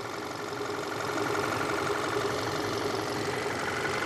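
Quiet, even idle with a steady hum and fan whoosh in the background; no knocks or misses, engine sounds healthy and warm.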